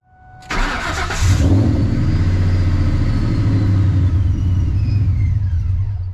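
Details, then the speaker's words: Procharger-supercharged Ford Mustang Mach 1 with tuning problems, bypass valve swapped back to original: engine catches after long crank, then lumpy hunting idle struggling to stay running; took effort to keep it on, cause unconfirmed (bypass valves or tune suspected). "let me get to the uh wideband sensor now because getting a little annoyed and losing daylight took a little effort to get her to stay on"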